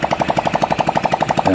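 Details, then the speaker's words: Motorcycle engine test-run after cylinder head work with no muffler/exhaust fitted; sharp, even popping about eleven beats per second from open exhaust, steady and regular; normal running, no muffler. "So yan, narinig na. Maandar na, walang tambotso"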